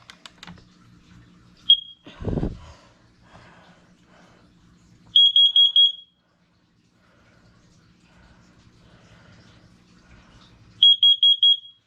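Loud high-pitched beeps in groups of four, the groups repeating about every six seconds; the CO alarm sounds correctly.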